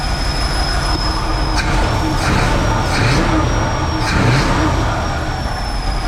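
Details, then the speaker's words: 1969 Chevrolet Impala first running after 20 years, timing not yet confirmed, no coolant yet: steady high-pitched whistle over a somewhat uneven idle; suspected air leak, source not found. "That's a significant whistle. So we still have to figure that out and then double check on the timing still."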